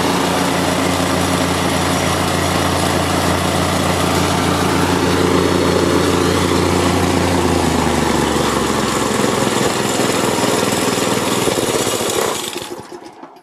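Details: Market plate compactor with an unknown Chinese engine (Honda GX160 or Loncin 196 copy) that started then died; the oil sensor is reconnected for the test. It runs at a steady, even beat for about twelve seconds before shut-off, the sensor okay, running fine.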